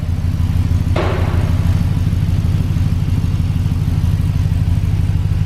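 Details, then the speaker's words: 2006 Chevy Express van with 340,000 miles, new shorty headers, cats cut off and Magnaflow muffler to fix an exhaust leak, collector retightened: steady, even low V8 rumble, on the quieter side, no ticking or puffing. Normal idle. "this thing sounds cool it is a little on the quieter side"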